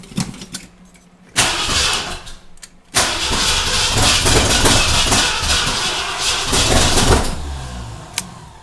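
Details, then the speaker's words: Ford Bronco freshly rebuilt engine, first start after correcting timing that was 180 degrees off; cranks twice, catches into an uneven surging run that struggles to settle. Rough running; owner suspects timing too far retarded. "Okay, we're getting there. We're trying, but I think might have my timing a little too far retarded."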